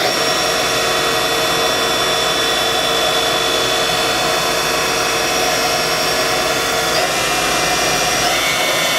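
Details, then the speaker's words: 1997 Haas VF-4 vertical mill, BT40 spindle with 2-speed gearbox and 7,500 RPM max, 12,474 spindle hours, pre-warmed. Spindle ramps from about 4,000 to 4,500 RPM with a smooth, steady high-pitched whir and no grinding or rumble. Healthy spindle. "Overall, this is a really nice machine. Runs good, sounds good."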